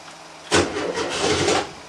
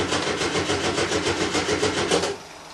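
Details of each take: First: 1975 VW Type 2 campervan with a new battery, not started for weeks, fuel pump primed: a single short churn of cranking, about a second, fires weakly and dies back; hard starting. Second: Volkswagen T2 van, air-cooled engine, cold start after about five weeks standing, usually needs several tries while fuel pump primes, pops from exhaust: steady slightly lumpy beat, goes quiet, fires again; normal cold start.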